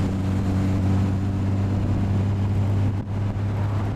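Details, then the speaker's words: Restored Austin-Healey 100/6 on first drive after four-year restoration, about 25°C in the hills; deep even exhaust drone under load with no misses or knocks, car pulls well, healthy six. "So the car pulls well, nice exhaust note."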